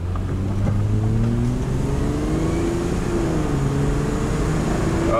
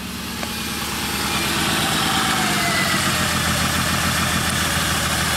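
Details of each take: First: 2003 Honda Odyssey V6 0-60 run after new plugs replaced counterfeit ones: engine climbs smoothly through the gears under full throttle, no stumble or miss, strong clean pull; misfire fixed. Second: 2003 Honda Odyssey V6 idling with a lumpy ignition misfire after coils were swapped between cylinders; a fuel injector was replaced last year; owner reported shudders on a long trip; a dead coil is found, catalytic converter was glowing red-hot.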